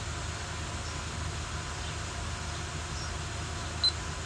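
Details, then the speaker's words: Honda Odyssey V6 started after a timing belt job and a new engine mount, serpentine belt off so the battery light is on: quiet, steady low hum with no knocks, ticks or whine; normal idle. "nothing sounds weird engines running nice and smooth of course the battery light is on because there's no serpentine belt on it"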